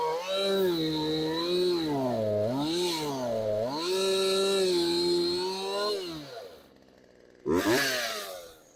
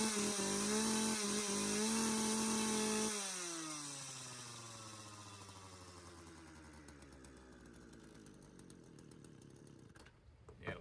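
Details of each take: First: Craftsman chainsaw that sat outside for years, warmed up after repair and idle adjustment: clean revs rise and fall smoothly, then drop back to a crisp, strong idle. Normal running. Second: Craftsman chainsaw left outside for years, revived, choke off: steady buzzing idle for about three seconds, then sags and dies; idle speed set too low.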